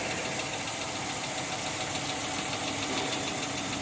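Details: 2010 Chrysler 300C engine at idle with a loose, uneven tapping about three or four times a second over a hissy background; knocking, cause undetermined.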